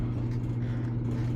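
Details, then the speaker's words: Maytag Bravos XL dryer running after replacing the idler pulley to cure loud squeaking: steady low hum of the drum turning evenly, no squeal or chirp; normal running. "So, I'mma um turn it on, no squeaking."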